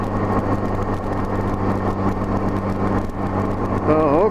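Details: 1984–85 Honda GL1200 Gold Wing after Honda Service Bulletin carb kit: light-throttle gentle climb where surging used to occur, even steady drone, no surging or hunting; carburetion smooth.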